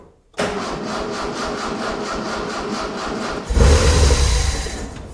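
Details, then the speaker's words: 1976 Mitsubishi Galant hardtop with 2.6 L Astron from a Sigma, cold shed about 4°C: about three seconds of churning cranking before stumbling into a rough fading run at low rpm; owner suspects a dead battery; extended cranking before start. "Sounds like my battery is dead, but it definitely runs. Well, it's it's not a glorious uh it's not a glorious display of engine power or any big RPMs, but it did fire."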